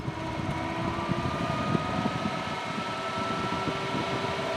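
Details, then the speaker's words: Brand-new Endless Breeze fan hums with an uneven low rattle and thumping from vibration, suspected out-of-balance blade; it worsens at higher power until the fan walks across the surface. "I don't know if you can see it on the screen but I can tell you it's vibrating quite a little bit"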